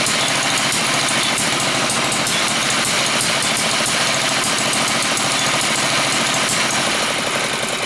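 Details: Villiers MK10 two-stroke engine, two sparks per revolution, test run: fast, sharp crackling pops over a busy, steady run with no misses. Healthy engine with a lively exhaust.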